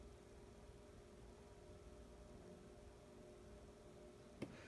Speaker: very little hum on this you have to go right up to it demon hear it it's I can't even hear that I can hear a little bit but very faint it's like living room quiet